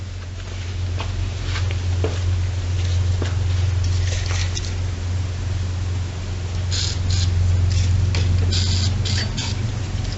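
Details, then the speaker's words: Simplicity 4212 garden tractor, long stored with old stinking gas and fuel shutoff off, cranked with starting fluid: slow crank, then a low, uneven drone with scattered ticks; it fires only on starting fluid. "[Music] yeah it fires for sure so I'm more than likely we get a running engine"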